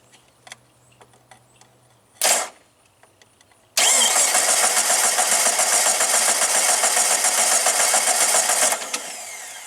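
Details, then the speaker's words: 2000 Jeep Grand Cherokee 4.0 straight six, running badly; starter jumped under the hood for about five seconds of cranking at roughly 3.5 beats a second, each stroke loading the starter equally: compression is even on all cylinders. "so you jump the starter and you listen to the level of the strain on the starter and it should sound the same on every cylinder and it does"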